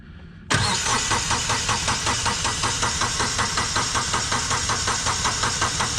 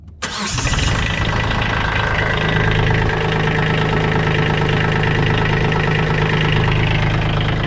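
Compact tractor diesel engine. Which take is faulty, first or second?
first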